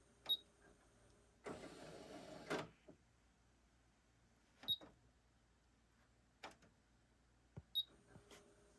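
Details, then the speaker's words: Panasonic RX-DT901 Japanese import, cassette deck: brief motor whir and scattered clicks, then near silence; mechanism tries to engage but stalls immediately. Owner suspects a lubrication issue, not confirmed. "yeah it just quits immediately i'm betting both of these have a lubrication issue"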